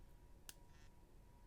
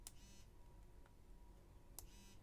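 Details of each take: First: iPhone 6s Plus, never updated: pressing a button sets off its taptic engine (vibration motor), which has worked loose, giving a sharp click then a brief buzzy rattle; pressure or holding it upside down quiets it. A common fault on older 6s models. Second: iPhone SE with the older iPhone 5/5s-type vibration motor: two short, sharp clicks, each followed by a brief low buzz, louder than later haptic engines; normal operation.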